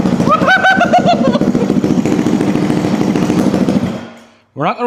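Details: 2004 Yamaha YZ250F single-cylinder four-stroke after engine rebuild, fresh oil, run briefly with no coolant: revs up crisply then settles to a steady, even beat with no knocking or rattle; healthy, normal running.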